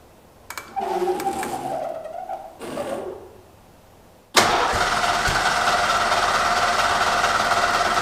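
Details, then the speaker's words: Long-stored V8 vehicle, battery showing only 11 volts, fuel pump switched on: seconds of struggling uneven cranking, then catches into a loud rough run; owner suspects old fuel, letting it build heat. "it took actually running the car like basically on starting fluid until it could build enough heat in the cylinders to actually ignite the old fuels that's probably what we're going to encounter here"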